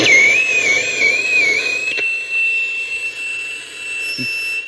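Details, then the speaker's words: Analog radio on 25-metre band with antenna connected: loud high-pitched whistle wavers then locks steady over hiss, self-oscillation. "E quando o rádio alto oscila, eu posso inclusive desligar ele, olha só."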